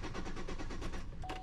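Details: 2006 Buick Rendezvous crank no start: starting fluid didn't help; codes for heated oxygen sensor 2 high voltage, EVAP vent performance and cooling fan relay 1 circuit. Steady starter churning about five beats a second, engine never fires; RPM signal present, spark check next.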